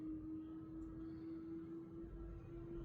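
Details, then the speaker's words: 2024 Tesla Model 3 Performance on 20-inch Arrow/wishbone wheels, reversing slowly after the wheel covers were removed: only faint motor hum, no ticking; the low-speed clicking was caused by the wheel covers. "good silence is golden so good no ticking whatsoever definitely the wheel covers guys"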